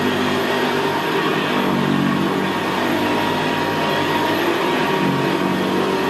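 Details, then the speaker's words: 1975 Hoover Senior Ranger U4002 vintage upright vacuum cleaner running on carpet: steady quiet motor with a deep, gravelly growl from the brushroll, louder where the carpet is squashed down; normal for this model. "well isn't that absolutely beautiful machine to use it's just very very quiet and in very very growl very growling that's why I always said about the Ranger they always had a very very gravely brushroll on there"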